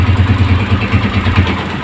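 A steady, even low putter with a regular beat and no misses or hunting; the bike is idling smoothly and normally.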